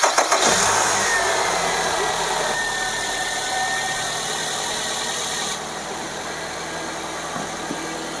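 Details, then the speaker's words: Car engine about 5000 km and over four months since its last oil change, idled during an engine-flush procedure: it catches and settles into a smooth, steady idle with an even hum and no unusual ticks or knocks. "kalau Secara mesin ya dia enggak ada perubahan bunyi asing di sana ya"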